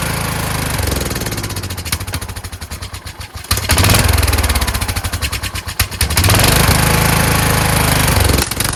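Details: Kohler Courage engine mounted on a tractor, started on choke: note rises and sags roughly every second, a hunting idle. A return spring made it want to stop, and the owner suspects the throttle bracket. Surging from a faulty carburetor.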